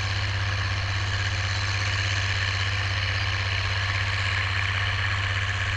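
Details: Oliver 1550 tractor, about 54 hp, pulling a JD BW disk 6–8 inches deep after earlier fuel-system contamination cleared: deep, steady diesel thrum with an even beat and no stumbling or bogging under load; running like a top.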